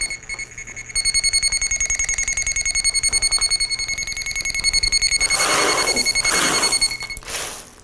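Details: Armada Pro300 locator receiver following a buried wire on the 2 kHz transmitter signal: fast, even high beeps, about 3.5 a second, holding loud and strong right over the target.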